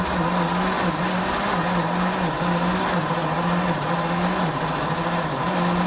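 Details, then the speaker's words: 1953 White WC tractor, first start attempts in 30+ years on a jump box, clutch in: starter whirs steadily, dipping about once a second, never catching; owner suspects flooding after half-open throttle, or timing. Cranks but no start. "I think I've got it flooded, so let's give it a minute."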